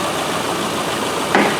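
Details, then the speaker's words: 2007 Subaru Forester 2.5, complaint of A/C quitting after driving a while, engine idling: one sharp solid clack as the compressor clutch engages firmly; normal A/C compressor clutch engagement. "So you can hear she's got a good clap to it when it goes."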